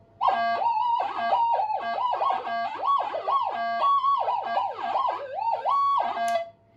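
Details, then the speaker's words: Minelab GPX 5000 metal detector with new parts, in mono mode at high gain with no target: loud wailing tones sweep nonstop from electrical interference by workshop power supplies and a signal generator; gain can be turned down. "So that just proves how much noise is in this workshop at the moment."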